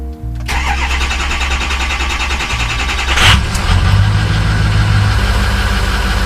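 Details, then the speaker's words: 2006 Ford F250 6.0 Powerstroke diesel, cold engine: starter churns about three seconds before it catches and settles to a firm idle; long cold crank, starts instantly when fully warm, owner suspects high-pressure oil leak, cause unconfirmed. "So once it fires up, it runs fine. But also, if I just drive down the street and the engine's still cold and I turn the car off, I'll still get that long crank."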